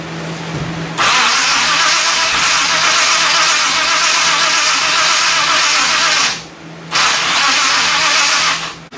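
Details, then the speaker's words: 1957 Chevy 210 with Edelbrock carburetor fed from a gas can: two long cranking bursts and it never catches. The accelerator pump squirts no gas on throttle, so no fuel reaches the engine; no-start. "okay here's the deal I tried to start it and it wouldn't run apparently the accelerator pump on the carburetor is not working so it's not getting any gas because when I flipped the throttle it's not supporting any gas into it"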